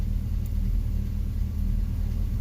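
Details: 2004 Chevrolet Silverado 2500 HD 6.0 V8 automatic, P0300: deep rough idle with uneven lope, misfire history mostly cylinder 6 (about 334,000 counts) and cylinder 5.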